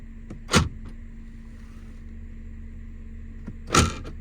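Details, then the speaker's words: Jeep with aftermarket hollow plastic inner door lock pin covers: two sharp automatic-lock clunks a few seconds apart, each with a brief tinny rattle as the metal lock pin taps inside the hollow plastic cover. "that it's rattling that's because the the metal door pin when it goes down it Taps into this plastic look it's Hollow you can hear it"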